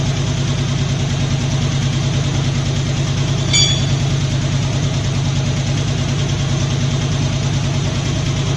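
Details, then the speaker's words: Poly 318 V8 swapped from a 66 Dodge Coronet into a 64 Dodge D300, first run-up and idling, valve cover gaskets missing, smoke from manifold: fast light lifter clicking over an uneven, slightly stuttering idle. "so it's got a little bit of a stutter to it you can hear you know you can hear some clickity clacking from the lifter"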